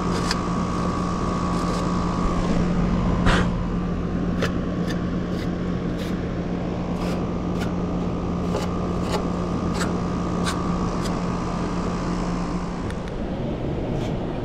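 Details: Mobile-home AC condenser, new tenants reported no cooling: steady low compressor hum, even fan whoosh and a constant mid tone, no stalling or clicking. The unit runs normally; the tech will probably recommend returning to clean the coil.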